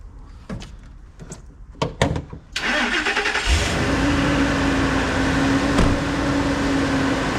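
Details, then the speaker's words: Car engine cranks, catches and settles to a steady idle with a faint metallic rattle underneath from the loose, breaking-apart insides of an aftermarket catalytic converter; no engine light yet, but a P0420 code is expected. "and the cat converter is all rattly inside too it's breaking apart one of those aftermarket ones junk"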